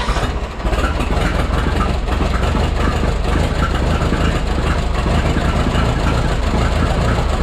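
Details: Freshly rebuilt Minneapolis Moline 335 tractor engine after restoration: loud, uneven, lumpy beat instead of a smooth idle. Owner says it isn't running right and needs tuning, possibly a slight timing adjustment; tappet gaps were reset warm.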